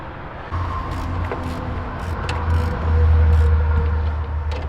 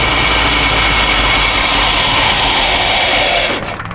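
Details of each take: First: 1951 Chevrolet half-ton truck, long sitting, fresh battery fitted: starter cranks engine in steady even bursts, about four strokes a second, no binding; motor not seized, throttle on carburetor feels stuck. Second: 1951 Chevrolet half-ton truck engine, long sitting, old gas, fuel leaking when running and pump suspect: steady rough roar then sags and fades out, stalling as if running out of fuel though tank should have plenty.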